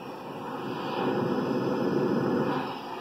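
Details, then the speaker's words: Ultrasonic leak detector, Accutrak, checking a cracked refrigerant jug: a steady hiss swells and fades as the probe sweeps past and goes quieter when moved away; the detector LED also rises; refrigerant leak, inaudible to the unaided ear. "you hear that not only are you visually seeing that on the LED but you hear it just like you're hearing a leak"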